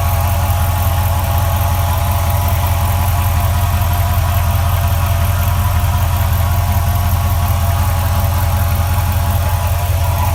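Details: 2004 4.7L HO V8 at cold idle with a regular tapping, a few per second, from the bottom and rear of the engine; it goes away at operating temperature. Cause unknown.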